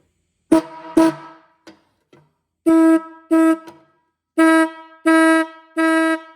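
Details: Restored rusty 1950s–60s Ford horn, bench-tested with ground connected: seven short, clean blasts with a steady, full buzzing note and no rattle or wavering; normal horn tone.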